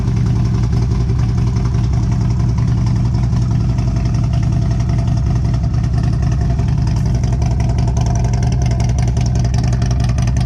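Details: 2011 Harley CVO Road Glide V-twin idling with the catalytic converter gutted and no baffles in the pipe: deep, loud, lumpy idle pulsing about 2.5 times a second, otherwise running fine; certainly loud, baffles probably needed.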